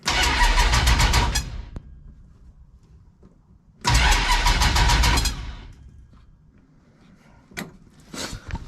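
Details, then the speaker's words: 1967 Dodge Dart drag car after installing a new Painless wiring harness, testing systems: two bursts of fast, even cranking that never catches, then scattered ticks; owner calls it a weird sound, cause unclear; unusual cranking noise. "was a weird sound. Okay, well, let's check other things."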